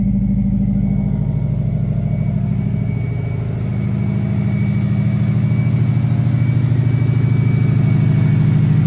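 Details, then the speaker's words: First start after a GT3076R turbo install with custom intercooler piping, before tuning and break-in: lumpy steady idle with a faint thin turbo whistle above it, no rattles or scraping; turbo spooling normally. "you hear it that's the turbo whistling that sounds insane"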